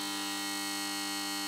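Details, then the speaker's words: Mazda Esthelux 400 luminaire with a BF250 lamp warming up: a loud, steady, rasping mains buzz. Laminations in the magnetic ballast core were deliberately loosened so the ballast vibrates. "Donc j'ai un peu modifié l'appareillage pour qu'il fasse un peu de bruit. Je lui ai décollé quelques lamelles là autour du corps ferreux. Comme ça fait vibrer le ballast et ça donne ce résultat là."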